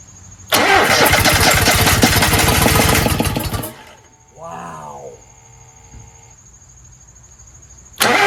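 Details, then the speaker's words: Toro Z-Master 5000 with rebuilt Kohler 26.5 EFI ECV749 V-twin, cranked at mid throttle without choke: catches, runs rough for a few seconds, then dies with a bang and sputters, smoke from the air cleaner; failed start ending in a backfire. "So, it was promising for a second until it went bang. And then things didn't sound good coming out of the muffler."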